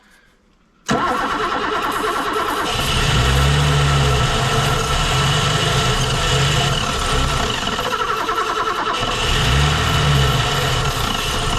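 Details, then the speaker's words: Barn-find BMW E9 3.0 CSi, first start in over 20 years: cranks and catches into an uneven, lumpy, surging run; owner later finds a jammed fuel injector likely behind poor starting, also suspects water-damaged ECUs under rear seat. "oh that's an ejector oh well that's why it wouldn't run CU it was jaed fire off it's probably where it wouldn't start"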